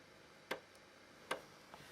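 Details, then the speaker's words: Super Wild Card SNES floppy disk drive (bought as faulty) on a hardware SNES Jr clone, loading an Addams Family game disk into RAM: sharp isolated clacks under a second apart over a quiet hum; normal floppy drive seek clicking. "so let's hit B again and there we go starts counting down I think is loading it into RAM you can hear the the drive clacking away there"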